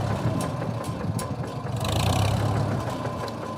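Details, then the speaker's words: 1949 Farmall M (C248 engine) with loader: idles smoothly, but a light uneven click every half second or so appears only with the PTO engaged or in gears one to four; ticking click under load, source unknown. "she fires up just great and it purrs like a kitten but as soon as you put the PTO in gear or as soon as you run one through four on the gear shift you get this little click going on"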